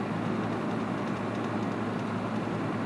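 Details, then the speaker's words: Panasonic RC-76 clock radio, alarm set to buzzer with volume turned all the way down: a quiet, low, hoarse foghorn-like drone under hiss with no beeping; owner unsure if this is normal or a fault. "It's really quiet. Sounds like a foghorn. It's very interesting. I wonder if that's normal, or if there is in fact something wrong with this unit."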